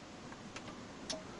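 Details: 2004 Jeep Cherokee sunroof that won't close: the switch tests fine, but only faint light clicks come from back by the motor with no running whir, so the sunroof motor has failed and is replaced.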